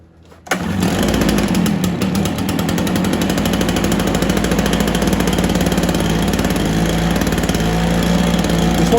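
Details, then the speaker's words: Stihl BR430 two-stroke blower after a spark plug boot repair, carburetor tuning and idle turned up: starts right up and settles into a strong, even drone with no surging or stumbling; running healthy. "hey guys I think we got another one fixed there that's steel b r 430 good to go"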